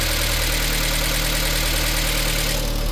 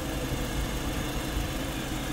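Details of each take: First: VW Lupo 1.6 first start after cylinder head rebuild and head gasket replacement (oil contamination): light fast ticking about three per second over steady idle; hydraulic lifters still filling with oil. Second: VW Lupo 1.6 after cylinder head rebuild and head gasket replacement (oil had been contaminated): deep, even idle at constant speed with no squeal, tick or misfire; runs perfectly, no leaks.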